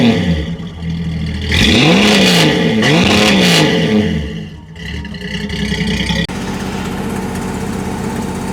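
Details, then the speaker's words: Ford Falcon six-cylinder with a new TIG-welded 2-inch stainless exhaust, J pipe and single-chamber muffler: engine revs up and falls back with a sharp ticking puff riding on the exhaust note, an exhaust leak. "yeah I'm going to have to fix that exhaust leak that's annoying"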